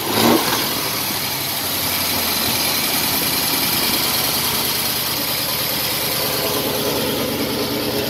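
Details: 1931 Willys, engine reassembled with hood and radiator refitted, first start test: catches after a brief crank and settles to a smooth, even idle with no knocks or misses; normal idle.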